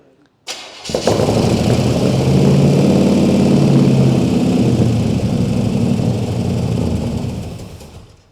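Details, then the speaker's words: Freshly swapped crate 350 V8 in a 1951 Chevy 3100 farm truck fires on the starter into a loud, even open-exhaust lope with steady beat, no misses or knocks; runs healthy. "Damn, that boy sounds good."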